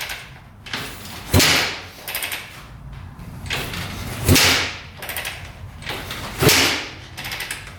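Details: 2004 Suzuki RM-Z250 after rebuild with new crank, bearings and top end: three hard kick strokes about two seconds apart, thump and whoosh, never fires; kick-start cranking, no start, same as before teardown, cause unknown.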